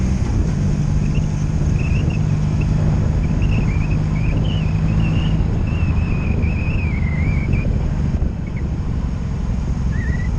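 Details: 2002 Honda Magna VF750C, warmed up, on its first non-stop test ride after it previously died when put in gear: steady, even engine drone under road and wind noise with no ignition cuts, misses, bucking or surging; smooth running.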